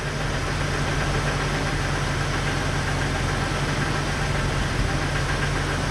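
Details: Jeep Cherokee after crank sensor no-start trouble: even, steady idle with a low, smooth beat and no misfire stumble or knock; the engine is running properly.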